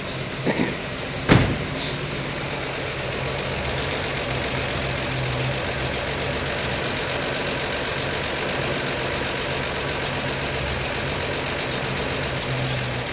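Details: 1952 Chevy Styleline Deluxe, cold, Rochester carb after freeing a stuck needle: steady, even low-rumbling idle with no misses or knocks, reluctant to rev while cold; the carb leak has stopped for now. Normal cold idle.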